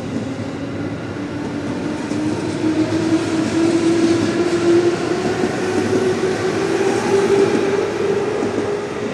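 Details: JR 221 series train departing Tsuruhashi: quick repeating thump from the wheels over a rising motor tone; a wheel flat.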